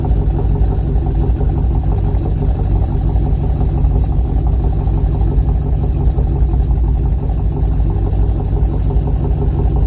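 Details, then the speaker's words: Chevrolet Colorado V8 swap, exhaust installed with a mildly leaking, unseated V-band clamp: deep loud V8 idle with uneven loping pulse about three beats a second from the cam; normal. "Definitely can hear that lope in there from the cam."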